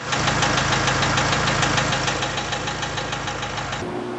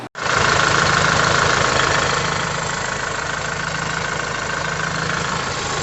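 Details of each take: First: Diesel tractor at idle after an oil-filter line was holed; a heavy, regular knock at about three per second rides over the steady idle; forum suggests connecting-rod bearings, though the bearings looked fine when inspected. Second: Diesel tractor idling after repair and programming by a technician; steady, even idle with the usual light diesel clatter and no knock or miss, running great now.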